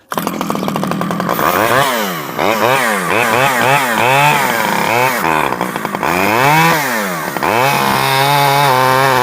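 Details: Stihl 011AV two-stroke chainsaw after a carburetor rebuild and after the spark plug coil wire was taken apart and refitted; revs climb and fall cleanly through repeated throttle blips, then settle at high speed. Runs well; owner guesses it may need crank seals as it is awkward to tune.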